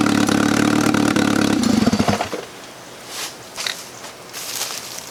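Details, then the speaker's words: 1995 BMW E36 318ti turbo, first start after fuel priming: it catches and runs rough for about half a second to two seconds, then cuts out abruptly and does not yet hold a run. "guys is it starting oh my god is this it might have ran for like a half a second let's try it again"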